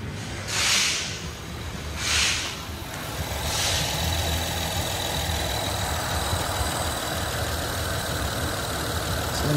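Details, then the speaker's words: Honda at a dealer service bay, idling with the alternator plug disconnected: steady idle with a couple of air hisses and no whine, confirming a bad alternator as the whine source. "so I went ahead and unplugged the alternator plug now let's turn on the vehicle turn it on noise is gone"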